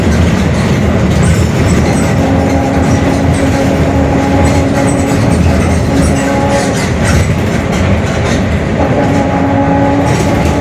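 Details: Mercedes-Benz OF-1721 Bluetec 5 extended urban bus, Mascarello GranVia Midi 2014 body, built 2021, riding: a steady low drone with a faint hum holds over the running noise throughout, from a growling differential.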